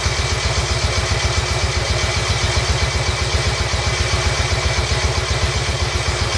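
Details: Royal Enfield Bullet 350 Classic, first run after partial seizure repair with cylinder hone, new rings, decoke, valve clearances set and carb cleaned: even single-cylinder thump about four beats a second, steady, no knock or rattle; healthy idle, dislikes choke, needs fine tuning.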